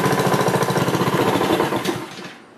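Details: Honda HRX217 lawnmower after replacing the electric starter battery: engine catches straight away, settles into a quick even putter before winding down; clean healthy start, new battery good.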